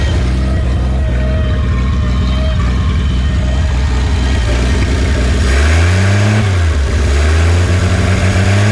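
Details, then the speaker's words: 1951 Studebaker Champion six-cylinder, first run in 35 years after carb rebuild, no cooling system filled: low lumpy idle, revs rise then sag and fall back on throttle; accelerator pump not working, water pump noisy from no coolant. "no accelerator pump just falls on his face a water pump making that noise because there's probably no Cooling in there"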